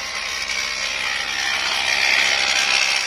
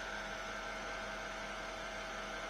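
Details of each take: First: Mercedes W221 air suspension compressor: harsh high rattling chatter about four beats a second, very loud, audible inside the car, and the car won't rise; compressor suspected worn, scored or broken. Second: Mercedes W221 air suspension compressor, car raising with the door open: steady even low hum with no knocks or rattles, almost inaudible, as it should be, unlike the loud worn or broken compressor before.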